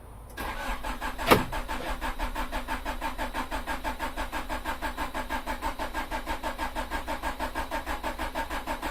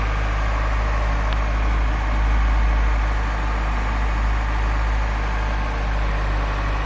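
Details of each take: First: Honda Prelude, first start after six months and a major overhaul, with a new fuel filter fitted: steady, even starter churning with no catch. Extended cranking, likely while fuel fills the new filter. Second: Honda Prelude first cold start after 6 months of restoration, with new distributor, injector seals, radiator and exhaust: steady low rumble, slightly uneven cold idle on all cylinders, no knocks or ticks. Timing may still be out; normal cold idle.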